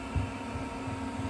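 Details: Newly installed fuel heater in a van camper on a cold morning: its dosing pump gives soft, regular low ticks a few times a second under a quiet fan hum, working normally.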